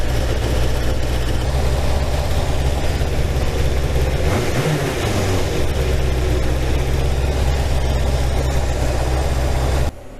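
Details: 1987 Kawasaki GPZ600R (ZX600A) after rebuild and carburetor synchronisation: steady even low burble with no hunting or surging for ten seconds, then shuts off; smooth balanced idle.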